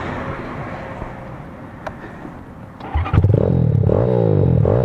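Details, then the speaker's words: Honda Grom, after a roadside breakdown fixed by replacing the ignition coil (CDI and rectifier swapped first): the little single fires and revs cleanly with an even, steady beat. It is running healthy again. "Oh yeah, sounds good again. That's good."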